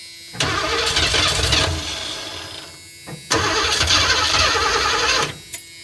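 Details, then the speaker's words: 1984 Ford E150 camper van fed from a boat tank, carb cleaner sprayed in to check for spark: two long cranking bursts with ragged catches that die each time; sputters on the spray but won't keep running. "and that sputtered okay we're going to do a little bit bit better on fuel"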